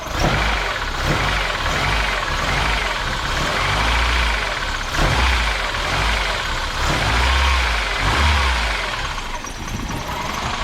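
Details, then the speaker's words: Mercedes 190E (W201) petrol engine idling after breakdown caused by ignition switch: light fast metallic rattle and tapping, owner unsure if bearing or tappet noise; tappets all replaced a couple of years back; drive belt to be removed to eliminate pulleys. "you turn the car on and it's got like a like a rattling noise like bearing noise maybe a tappy noise so I'm not sure what it is"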